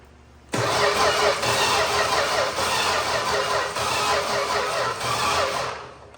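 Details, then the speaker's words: 1961 Valiant six-cylinder, sitting over 30 years; starter churns steadily about five seconds with even pulses, never fires; crank no start, points being sanded and spark checked, suspect points need replacing, cause unconfirmed. "the way it turns over doesn't sound great so that's good"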